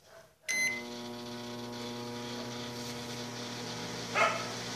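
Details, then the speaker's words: Microwave oven that stopped heating, display and panel working: steady low fan-and-turntable hum with no deeper magnetron buzz; no high voltage reaches the magnetron, probably because the blown high-voltage fuse was not replaced yet. "seja ele funcionou não deu stone na mas não deu alta aqui ó numa grelha tron porque lhe deu alta provavelmente porque por causa do fusível como estava queimado nós não trocamos ele ele continua queimado"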